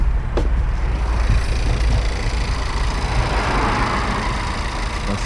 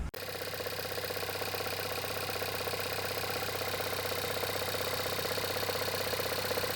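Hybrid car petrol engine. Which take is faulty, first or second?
second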